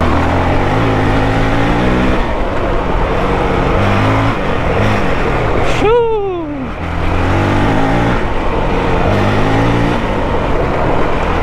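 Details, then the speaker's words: 2023 Honda CRF450X with a thermostat delete kit, ridden under load at normal operating temperature, gives a crisp, even single-cylinder bark, pulling cleanly and dropping smoothly on shifts. It has less engine braking, small exhaust pops remain, and it sounds healthy. "Engine sounds like she's happy."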